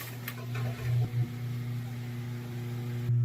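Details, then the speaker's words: Amana washer: steady low electrical hum with a few knocks, no spin-up; motor energised but cannot turn. Possible causes: broken or missing drive belt or broken motor coupler; not confirmed. "That's the sound of a motor trying to turn, but it can't turn. And in some cases, the dry belt could be gone or missing, or just broke."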